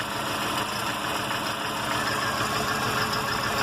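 At idle there's an uneven tapping, about a beat and a half per second, riding over the engine's hiss; source not pinned down yet.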